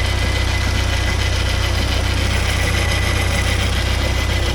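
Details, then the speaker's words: 1979 Porsche 924 idling, sound heard up front in the engine bay: continuous low hum with a faint rhythmic whir; owner suspects the alternator but is unsure; alternator bearing noise. "Yeah, you can hear something here. I think it's the alternator. Not sure though."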